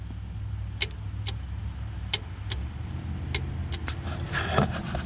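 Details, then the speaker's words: Ford 6.9/7.3 IDI Stanadyne DB2 injection pump, new fuel shutoff solenoid, key in run, wire touched to spade; crisp sharp clicks over quiet hum show solenoid moving freely; normal fuel shutoff solenoid click. "i've got the key in the run position and now i'm going to touch this wire here to this spade and listen for an audible click from the pump"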